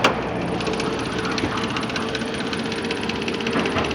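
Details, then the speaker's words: 2007 Nissan Maxima 3.5L QR35DE, CVT, 172,640 miles, no check engine light, at idle: fast light irregular metallic clackety ticking, owner suspects failing timing chain tensioner letting chain slap the cover; noise goes away at higher rpm. "you can hear that little clackety-clack that sounds to me like the tension is just giving up and the chain is probably slapping against the case"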